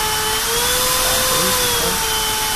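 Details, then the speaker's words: Trash-picked Russell Hobbs cordless vacuum after repair with a bit of solder; steady high motor whine over even airflow, no surging or cutting out, working normally. "we've solved the problem T yeah yeah perfectly good working"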